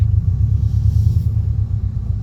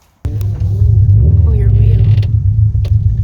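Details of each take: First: Test drive after replacing a failed Airlift Performance air-suspension pillowball top bearing: only low steady road rumble, with no creak or knock as the wheel turns, so the suspension is quiet while steering. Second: Car on Airlift Performance air suspension: under low road rumble, sharp irregular clunks over bumps while driving, heard everywhere; worn strut-top pillowball bearing, fixed by removing the struts and replacing the bearing.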